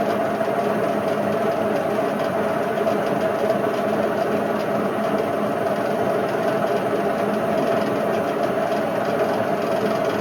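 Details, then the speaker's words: Indesit IWC71453 UKN 7 kg washing machine, found dumped, test spin after a split belt: loud steady rumbling roar with hard rattle throughout; worst drum bearing failure the owner has seen, badly worn bearings. "I've honest to God never had a bearing failure as bad as this. This Indesit tops them all off."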